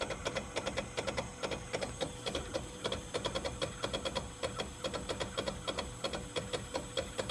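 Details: Tesla Model X parked charging in a shaded garage, cabin at 125 F, AC not working: quick, fairly even clicking about five to six per second from the passenger front tyre area; cause not confirmed.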